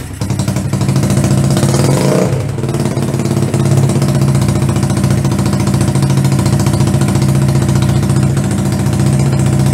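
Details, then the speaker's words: 125cc CCW Sinnis Heist chopper single chugs unevenly and sags around two seconds in, staying lit only on a bit of throttle; won't idle alone, before owner adjusts the carb float height. "it's not quite idling but it's for running let's see if we can get it idling by itself"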